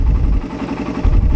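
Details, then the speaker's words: Raider 150 carb engine at idle: steady ticking with a light even metallic clatter from internal parts, no heavy knock or tug-tug sound; normal idle. "Pero pag ganito lang mga ka-rider, oh, wala ka naman naririnig, parang ingay lang ng mga bakal sa loob, yun lang naririnig mo, normal yan."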